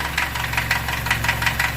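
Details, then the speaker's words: Ranger side-by-side at idle just after first start following starter wiring work, battery 12.4 V; light regular ticking on top of idle, owner calls it lifter tick. Unconfirmed. "look at that well now you can hear the knocking that lifter tick"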